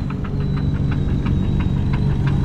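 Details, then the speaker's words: Drift car after one lap on track, idling: sharp metallic knocks about three or four a second over a rough idle; owner suspects a rocker or valve train, before valve cover removal and compression test; cause unconfirmed. "all right one lap in this thing started knocking like freaking crazy listen to this"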